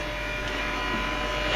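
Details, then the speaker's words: Aftermarket electric motor for a Western salt spreader, run on a battery charger at medium speed, being broken in after losing power in extreme cold: steady hum with faint buzz and light rattle; owner suspects brushes not broken in. "You can hear a faint buzz and a rattle in the background. We've got the battery charger running this motor at a medium speed here, and grab these two brushes here."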